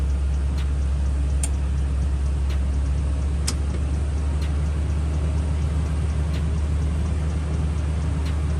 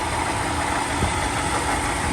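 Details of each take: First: 2012 Toyota Tundra V8 idling after new water pump and thermostat, first start with coolant filled, bleeding toward operating temperature: steady deep low rumble, earlier noise gone, normal idle. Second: 2012 Toyota Tundra V8 at idle: busy, fast metallic rattle over the run from a worn water pump bearing; water pump, thermostat and valve cover gasket to be replaced.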